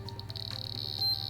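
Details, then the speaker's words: Sedatelec Premio 32 EVO laser with laser test plug fitted, emission button pressed and beam applied to test: rapid high beeps merging into steady tone, changing with frequency; emission check passes normally. "the beep ch changes according to the frequencies and thus indicates that your device can be"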